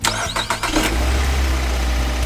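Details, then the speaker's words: Car that would not start even after a throttle valve replacement and checks of the spark plugs, ignition coils and oil lines; a part was cleaned and refitted. It now cranks briefly, catches within a second and settles to a steady idle, restarting repeatedly: normal start. "look one success try again success again the power is very strong the problem has been completely solved"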